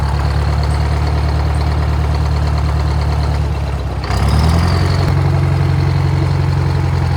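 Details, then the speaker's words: Old Detroit diesel on a rock crusher plant, first start in about 3.5–4 years after the starter solenoid was repaired, nearly running away at start: a steady low rumble at idle, then a clean step up in revs, running evenly without misses or knocks. "That was going to run away on me there. Fired right up. I thought it was going to run away for a second."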